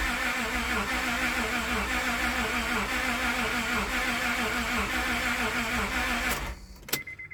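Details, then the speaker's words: Car towed in with a crank no-start, no codes stored: labored, uneven cranking about three beats a second with whirring starter, slow dragging crank and no start; timing or crank sensor suspected, unconfirmed. "But it is dragging simultaneously. That's the biggest thing that concerns me, that dragging noise."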